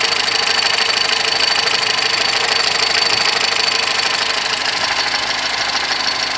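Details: 2010 VW Golf 1.6 at idle: fast, even high-pitched ticking chirp about three times a second from the accessory belt drive; noise disappears with poly-V belt removed, water pump, tensor, alternator and timing belt parts already replaced.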